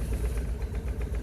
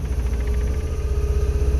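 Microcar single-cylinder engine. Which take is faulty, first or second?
second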